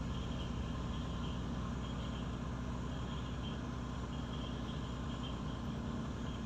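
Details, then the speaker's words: Car engine running smoothly right after new spark plugs were fitted: deep, steady drone with an even beat, no misfire or stumble; normal running. "ನೋಡಿ ನೋಡಿ ಈಗ start ಆಯ್ತು"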